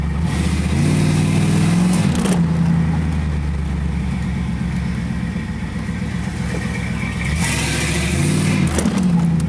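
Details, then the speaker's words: 1986 Camaro IROC-Z after the broken Y-pipe exhaust was welded: a deep, even rumble that rises cleanly on throttle blips, with no leak ticking or puffing. It sounds much better, leak-free. "all right so the uh pipe cell fixed up exhaust is uh leak free now so uh we'll give it its first start you'll be able to hear the difference right it sounds a bunch better"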